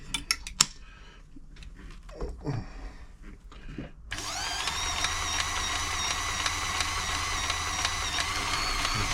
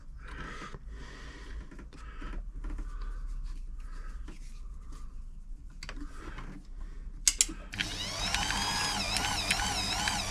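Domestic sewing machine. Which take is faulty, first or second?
first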